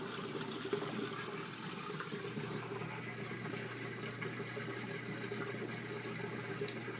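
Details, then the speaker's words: LG WT1101CW 5.0 cu ft HE top-load washer going into its rinse cycle after draining: water splashes and trickles evenly into the drum over a low, steady hum. This is a normal rinse fill. "rinse so it's doing its rinse cycle still"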